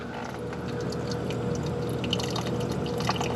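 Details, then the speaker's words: Hoshizaki 150 undercounter ice machine at start of fill cycle: irregular trickling and pouring of slow incoming water with no pump or compressor hum, draining straight down the drain so the sump cannot fill; fill water running to drain. "So it's coming in. It comes in slow, but it's coming. And I noticed it was draining immediately down the drain."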